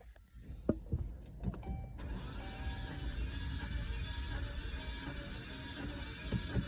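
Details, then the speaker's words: Newly bought car that won't start, compression test while cranking: only 60 to 70 PSI, too low to start; starter turns engine steadily and quickly with no firing. Low compression. "right 60 PSI is not going to start a car all right stop turning over 70 PSI is not going to start this car"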